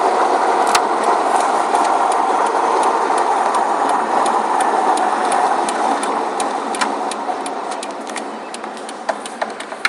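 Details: Car driving with rapid steady knocking about four per second, fading as it pulls away; rod knock that developed over the weekend, replacement drivetrain already ordered.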